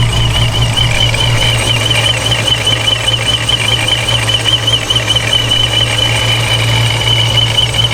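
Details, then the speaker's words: ProCharger D1SC with straight-cut gears on a forged 426 Hemi, at operating temperature with fresh blower oil, heard hood closed then open: steady high gear whine with a slight warble over an even idle; unchanged by the oil, normal gear noise. "well there you have it so um I would say that sounds absolutely identical so I know a lot of people were theorizing that it needed oil and it was the oil and oil issue definitely not I think this is just how these um straight-cut gear ProCharger sound"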